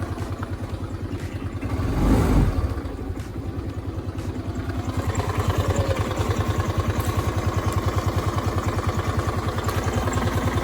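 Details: Suzuki Access 125 scooter idling: steady single-cylinder beat with an added rattling clatter on every beat after a blip; clutch sound problem, movable drive replaced as the solution.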